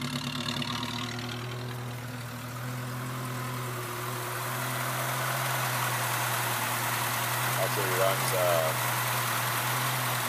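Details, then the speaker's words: 1976 Chevrolet Chevette 1.4L automatic, just bought, idling: soft, steady, even low hum with no knocks or ticks; no smoke, runs quiet and healthy. "See that? No smoke. Runs like a champ."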